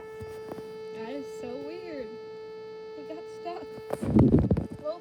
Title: Low battery Vtech toy carousel toy buzzing noises